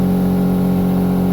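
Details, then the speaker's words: Mazda RX-8 held at 4,000 rpm, new coil packs, plugs and leads swapped front to rear: loud droning exhaust note with rough uneven edge; persistent P0301 rotor one misfire, dies at idle, cause unknown. "i'm still showing a cylinder one misfire now the noise to me is coming through the exhaust system reason behind this completely baffled"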